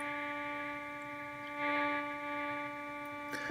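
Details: Computer monitor's switching power supply, switching at a few hundred kHz, picked up on an indoor LF/MF antenna via AirSpy Discovery: steady buzzy tone with stacked harmonic whines over faint hiss; switching power supply RFI noise.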